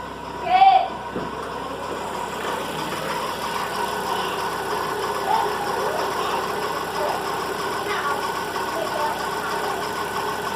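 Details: Volkswagen Fox engine noise in the morning, cold idle: steady rough hum over the engine with a short chirp at start; accessory belt idler pulley bearing is worn and noisy.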